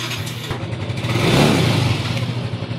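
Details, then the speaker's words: Motorcycle exhaust pipe hole repaired with resin-hardener epoxy and sun-dried: blips up and settles with a clean, even note, no hiss or puffing; leak sealed, though owner notes the sound seems changed. "wala nang ingay. Wala nang singaw. Diba, ang ganda ng tunog?"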